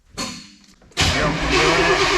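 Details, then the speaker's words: 1994 Chevy tow truck that sat for years in the woods, now with a new transmission: steady starter cranking that never catches. No spark found and no fuel pump heard, so crank-no-start. "No spark. No fuel pump. Like that's that's the two things. This definitely doesn't have spark."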